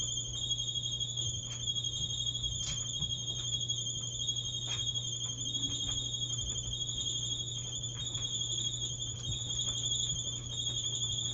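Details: Maytag clothes dryer, about 10 years old, running with a steady, piercing high-pitched squeal over its low hum; cause unknown, technician not yet visited.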